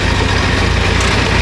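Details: 1926 Ford Model T, 20 hp four-cylinder, just started and switched to magneto: low, even chuffing beat at a slow steady idle with no misses or knocks; normal idle.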